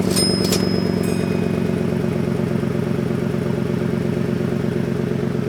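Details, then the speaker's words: 2008 Ford Expedition, 147K miles: quick, regular puffing tick over the V8 idle from the passenger-side exhaust manifold, where the exhaust pipe no longer sealed because the flange was distorted and a stud lip blocked it from seating. "removed the inner fender wall on the passenger side to get to the exhaust manifold and this was our problem the exhaust pipe was no longer sealing with the manifold"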